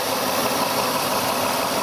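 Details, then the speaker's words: 2005 Mercury Sable Duratec 3.0 V6 after replacing the oil pressure switch for a false low-oil-pressure warning: smooth, even idle hum with no lifter or rod noise; running healthy. "I'm going to drive it a little bit and see if that fixed the problem was not getting any engine noise lifter noise Rod noise engine is completely silent runs great"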